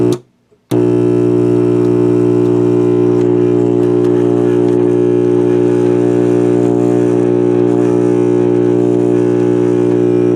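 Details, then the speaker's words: Mid-1960s General Electric vacuum tube AM/FM table radio on first power-up with limited current: steady deep buzzing hum at unchanging pitch; suspected bad filter capacitors, not confirmed; loud hum. "well no sense in listening to that sounds like we have bad filter capacitors"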